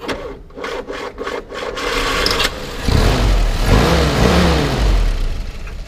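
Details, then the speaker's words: 1952 Willys Overland CJ3A four-cylinder, cold start with choke pulled, foot-button starter: a few clicks and cranking, then catches and settles into a low, even, really smooth idle with no knocks. Normal cold start and idle. "you know you can hear it run it is really smooth"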